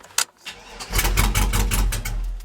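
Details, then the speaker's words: Old GM truck with 4L80E, start attempt after fiddling with a wire: starter cranks in quick bursts, engine fires about a second then dies; cause is the non-functioning Passlock/VATS anti-theft system, later deleted with HP Tuners. "does the same thing and the reason it's doing that is because the pass lock system is not functioning for whatever reason"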